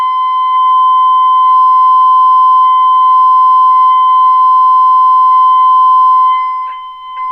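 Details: 1932 Philco Junior 80C regenerative receiver during alignment: a pure, steady whistle around 1 kHz holds at full strength, then dips and wavers near the end while trimmer number 5 is peaked at 600 kc, dial at 60.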